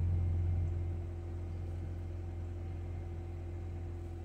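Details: 2000–2006 Nissan Sentra 1.8 after fuel pump replacement, pump primed 4–5 times before start: low, even idle hum settling smoothly with no stumble or miss; running normally.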